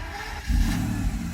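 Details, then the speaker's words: Mercedes S600 W140 crank and start after starter repair and lubrication: quick brisk crank catching almost at once and revving up cleanly; starter spins much faster than its earlier slow cranking, starts fine. "it actually starts easier because now the start is all lubricated it is really quick before I heard the speed of the starter was much slower now it's much quicker like instant very nice"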